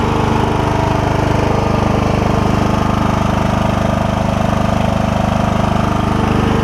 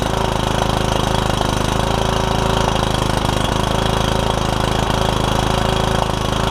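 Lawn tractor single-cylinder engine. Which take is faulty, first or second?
second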